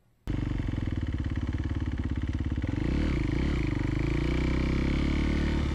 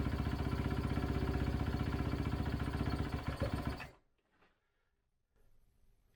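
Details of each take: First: 2011 Kawasaki KX250F single on a test ride after the valves were shimmed on the high side. Fires up sharply and pulls strong and even through the revs with a faint valve tapping. Runs well with a lot of power. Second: 2011 Kawasaki KX250F single, kick-started after an idle-issue repair. Slow, lumpy idle of about four beats a second that fades and dies. Idle adjuster is fully out and idle is still too low.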